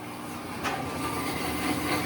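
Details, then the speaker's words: Whirlpool-built top-load washer: a steady low hum starts a few seconds after plugging in as the drain pump kicks on and runs nonstop. Most likely a faulty control board whose pressure/fill sensor commands pumping; fixed by replacing the control board. "The humming you're hearing is the pump. So, this is the the symptom here. Basically, as soon as you plug in your machine, it takes it a couple seconds and when it kicks on, it's just going to constantly hum and hum and pump."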